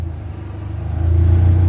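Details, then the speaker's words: Dodge Neon stock car after cooling fan circuit repair at power distribution center: low hum swells as fan spins up, holds steady without rattle, cycles off; fan working properly, no warning light. "There we go, the fan came on. Everything is good."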